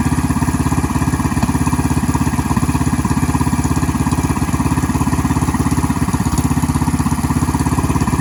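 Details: BT420X minibike single-cylinder engine: quick, regular putter holding steady at idle with no dips; idle sounds a touch fast and owner wonders if it should come down a bit.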